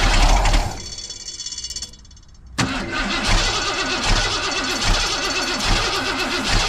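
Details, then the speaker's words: 1990 Ford F250 junkyard build, 351 5.8L, cold morning: starter cranks engine with steady even rhythm but it never fires; no fuel pressure at the Schrader valve, so crank no start. "Let's look right down here. Trigger valve. See, we got any fuel pressure? Nope. No fuel pressure."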